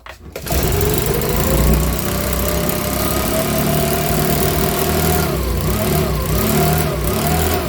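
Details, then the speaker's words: Makita BHX2500 four-stroke leaf blower after valve clearance adjustment and plug check: catches and runs busy and uneven with wandering, dipping pitch; rough running, owner reckons it needs a new carburetor. "so so so so all right folks so that's running now so we're it's running but here i reckon it's gonna need a new car on that"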